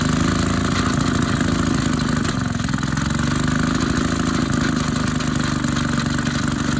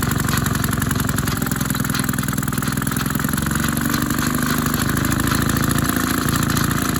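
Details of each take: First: Maytag 72 twin-cylinder engine driving a power hacksaw, RPM being lowered after fitting a larger pulley. Once warmed up it chugs with occasional skipped beats, a misfire because one cylinder is more worn than the other. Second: Maytag 72 twin engine driving a power hacksaw, pulley changed from 4 in to 5 in because one cylinder is more worn and it bogged down; speed adjustment at its limit, runs steady and even at about 3.5 beats/s, a bit faster than wanted.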